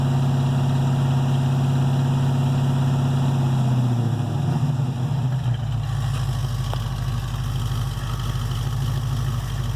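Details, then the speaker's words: 1968 Chevelle 307 small-block V8 after power upgrades of over 100 hp in parts and tuning. A deep, steady burble at idle with even pulses and no knocks, ticks or misses; idling smoothly. "That sounds pretty good. That sounds pretty good."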